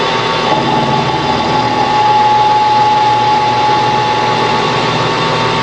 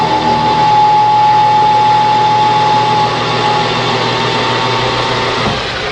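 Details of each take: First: Lathe turning a new square-drive auger end piece for a small meat grinder at about 1000 rpm: steady metallic cutting ring with a faint rough flutter as the tool catches only part of the circumference, an interrupted cut, before it cleans up. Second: Lathe turning a new square-drive auger end piece for a small meat grinder, after the interrupted cut cleaned up: even unbroken cutting hum with steady tone and no periodic ticking, a clean continuous cut.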